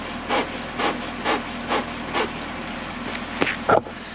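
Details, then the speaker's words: C6 Corvette Grand Sport rolling: regular dry creaks about twice a second from the rear; the cause is undiagnosed, with bushings, suspension and shocks to be checked once it is lifted. "all right well you can definitely hear there's something creaking in the back end here so i'll have to start checking the bushings and suspension shocks all that stuff over um when i get this thing up in the air"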